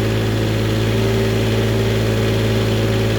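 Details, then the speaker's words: Newly refurbished Onan 7.5/8K RV generator (water pump done) on a stand, load-tested on both AC legs before install with a 1,500 W heater load (about 12 A at 120 V); steady low hum, speed holds without hunting: normal running under load. "Now I'm gonna cut it off. Ready? That's load testing it before I put it in. I did it to both circuits."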